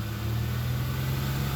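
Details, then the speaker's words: Honda Accord V6 revved high in neutral: steady low hum under the exhaust, with slight gas pedal vibration; also a faint whine while driving since shortly after purchase, cause unknown. "i've kind of noticed if i rev it really high in neutral i hear it too also it's accompanied with a slight slight ex gas pedal vibration"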